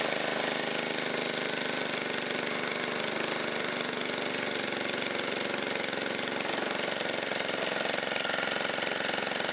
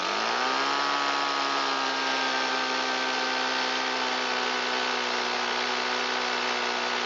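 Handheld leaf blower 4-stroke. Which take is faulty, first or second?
second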